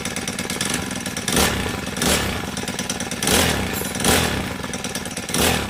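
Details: Honda GX35 brush cutter, small four-stroke at high speed: fast, light metallic sewing-machine tick; valve tappet clearance out of spec, fixed by tappet adjustment along with a worn clutch replacement.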